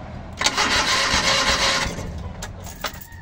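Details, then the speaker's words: Rusco multicab, carbureted petrol, hard starting in the morning despite two carburetor top overhauls; spark confirmed present: starter cranks over a second with no catch, then short stabs of cranking, reluctant to fire. "Ayan. May kuryente siya. So ayan meron siyang kuryente pero hard starting pa rin."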